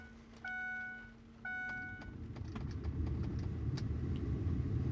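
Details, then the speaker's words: 2002–07 Ford Powerstroke/Excursion with digital HVAC, after repairing the blower motor resistor by replacing its transistor: two control beeps, then a smooth airy rush building and holding steady at maximum before slowly reducing; blower working normally. "so that is maximum [Music] and if you can hear it is slowly reducing down to a very low blow"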